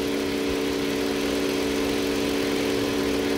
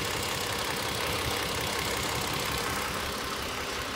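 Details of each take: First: Toyota Avalon after the number-two cylinder misfire cleared; the cause was a carbon-fouled spark plug. A steady, even idle with a constant low drone and no stumble or skipped beats: a smooth idle. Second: Toyota Avalon petrol engine misfiring at idle, uneven loping stumble about three times a second; injector and ignition signals checked with a scope, injector pulse around 20 ms judged too high.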